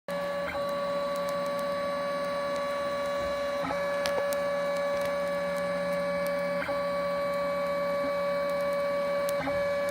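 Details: 3D printer whose prints come out bubbly: a steady hum with regular clicks while faint sharp pops crackle from the nozzle during printing. Nozzle crackling during extrusion.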